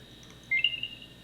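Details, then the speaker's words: Apple AirTag after inserting a new CR2032 coin cell, plus side up, rotated to scrape the contacts until it worked: a single short rising chirp, the normal power-on sign that the battery is good. "that little chirp and then you know you're good to go so that battery is now good"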